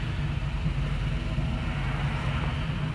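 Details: 2015 Ford F-250 Super Duty XLT, 6.2L V8, automatic, 4x4, 182k miles: smooth, even low rumble with steady revs and no knocks or ticks; starts up and idles healthily.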